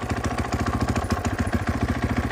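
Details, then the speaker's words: 2014 Husqvarna FC 450 single-cylinder dirt bike idling with fast idle on after a cold start, unrun for a week or two: even thump, about eight firings a second, no odd knocking; just a cold 450, though some clutch chatter present. "Sounds okay. Doesn't sound like any odd knocking. Just sounds like a cold 450, really."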